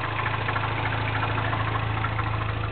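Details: 2008 Mini Cooper Clubman S, turbo 1.6, 6-speed, Magnaflow stainless cat-back exhaust, cold start idle: fast even light rattle over a steady low hum; owner suspects cam timing chain tensioner, unconfirmed, car under warranty.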